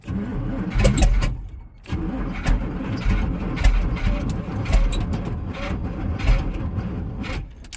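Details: Rotted squarebody Chevy with a 454 big block, fuel sprayed down the carburetor: the starter churns the V8 over in uneven surges but it never fires. The owner suspects no fuel reaching the carburetor and plans a fuel-pump fitting.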